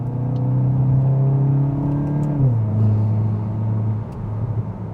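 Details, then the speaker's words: MK8 VW GTI with AWE Touring exhaust, revving at a red light then easing off: deep smooth rumble dropping in pitch as revs fall, not harsh, no rasp or drone; healthy exhaust tone. "Yeah, it's a nice sounding setup, guys. You get that nice deep tone, but it's not overly harsh, and there's no rasp to this setup at all."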